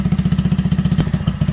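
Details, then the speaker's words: 2020 Honda Grom 125 after a TPS reset and re-learn, warming up untouched at about 1,800–1,900 rpm: crisp, evenly spaced, deep thumps holding steady; idle improved after the reset; normal fast idle during warm-up. "all right we're going to leave it about there right around 18 1900 rpms let it continue warming up just sitting here"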